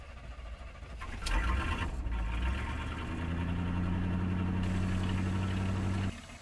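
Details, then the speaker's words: 1983 Chevrolet Silverado after hauling heavy firewood load; cranks, catches cleanly and settles into steady even low idle hum, no knocks or misses; runs well. "Let me fire it up and show you how well it runs."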